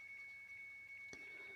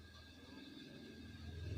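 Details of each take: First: Samsung washing machine, door switch sensor checked and intact: pressing start gives only a thin, high, repeated Second: Samsung washing machine after repair (start button only beeped, wouldn't run; module serviced): low steady rumble with soft rhythmic pulse as drum turns, swelling smoothly; running very normally.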